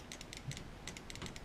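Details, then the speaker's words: Nummech VLP-X frame on a Mini GS with a Red Line board in training mode, where each pull should beep: sharp paired trigger clicks about every quarter second over a low hum, no beep; trigger pull not registered, new bridge suspected, not confirmed. "It's clicking. You can hear it clicking. The electronics in there, but it's not beeping. It's not registering the trigger pull."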